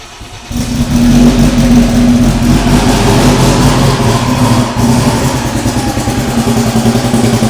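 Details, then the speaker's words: Freshly built AWD Honda Civic Si (EM1), aiming for 1000 hp, JBR short block, first start on a jump pack: fires within half a second into a firm steady idle, no stumble or tapping; first start ridiculously smooth. "All right, that first start went abnormally perfect. Just ridiculously smooth."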